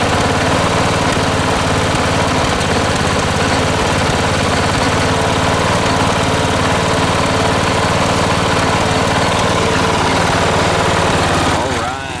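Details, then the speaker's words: 1980s John Deere RX95 ride-on mower, 36-year-old Kawasaki FV460V engine after carburetor and starter rebuild: runs at a steady, even throttle with a constant low drone, then winds down; normal running. "she sounds good foreign"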